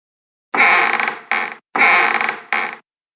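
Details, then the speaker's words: RV Murphy bed rocked twice, each a long dry high creak then shorter one, like wood on wood, from worn gas lift struts; replacing with 30 lb struts stopped it. "and there's like a creaking noise, and everybody's saying it's like sounds like wood on wood."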